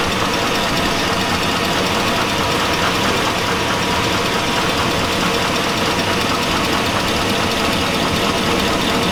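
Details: 2002 Chevy Avalanche 5.3L V8. A steady, loud, harsh metallic clanking rides over the idle. The owner says it sounds like rod knock, pointing to a worn rod bearing.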